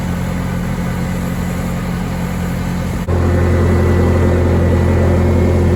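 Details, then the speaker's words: Bobcat T870 track loader after its trashed drive motor was rebuilt, first fired up to check for leaks. The engine steps up to a steady, even drone with a smooth hum, and the rebuilt drive motor turns under joystick power with no grinding or winding noise. "so once we fired up the machine was looking for any major leaks any issues with the drive motor itself so i was able to hop in there get it turning it runs under the power of the joystick"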